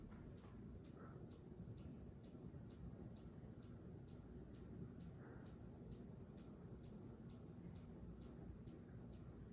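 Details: Minka Aire Volterra ceiling fan gives sharp, regular ticks about twice a second over a low steady hum as it turns. The clicking comes and goes; the cause is unknown.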